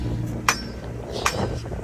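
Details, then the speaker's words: V8 BMW X5: sharp metallic clunks about every 0.8 seconds over a low driveline rumble; transfer case or front differential suspected; front differential oil drained full of metal, indicating front differential failure. "This noise could have been the transfer case, which is so common on going bad on these X5s, or it could have been the front differential, which I wanted it to be because that's the cheaper option."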